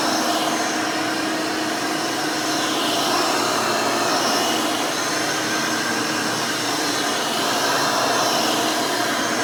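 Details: Rebuilt Hoover Elite 600 upright vacuum, built from parts of several Elites, with a new 7 amp motor and 20-blade fan replacing the original 6 amp: a steady, even high-pitched rushing whine with no pulsing or grinding. Runs smooth and fairly quiet.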